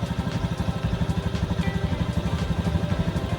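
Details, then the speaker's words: 2019 Honda Beat ESP scooter, after TPS sensor replaced and fault codes cleared: even, steady putter at idle, about three pulses a second, no stumbling; earlier hesitation on initial throttle is fixed, engine running normally. "Oke, Teman-teman motor yang sudah kembali normal. Kendala-kendala yang berebut tadi sudah teratasi."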